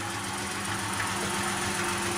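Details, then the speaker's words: Ford Ranger 4.0L OHV V6 petrol idling, heard from the back: light fast ticking over the engine hum; owner suspects bad lifters or a blown head gasket, untested; ticking at idle. "And as you can hear, I guess kind of from the back here, the ticking noise, part of me thinks it's bad lifters, part of me thinks it might be a blown head gasket."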